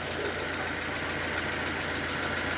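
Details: 2007 Nissan Y11 Wingroad QG15DE (cable throttle), even settled idle around 825–850 rpm with no hunting or surging; idle air control valve manually set because ECM IACV driver blew, remaining rich condition from fuel pressure regulator.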